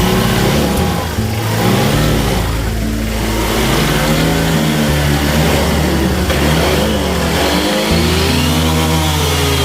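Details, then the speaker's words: Honda Vario 150 injection scooter bogs on sudden throttle as if out of fuel, even after an ECU reset: revs climb unevenly, stepping and sagging; suspected misfire, spark plug cable being checked, not confirmed. "Ini perhatikan, setelah kita reset sudah berhasil, tapi motor ini tetap nggak mau sembuh dari penyakit yang tadi itu."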